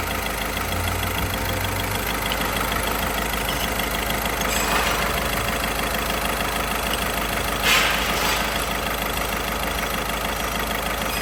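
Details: Car, after fixing rubbing noise caused by a transverse engine mount installed 2 mm off and trimming the contact spot: steady, even idle hum, no rubbing, knocking or rattles; problem solved.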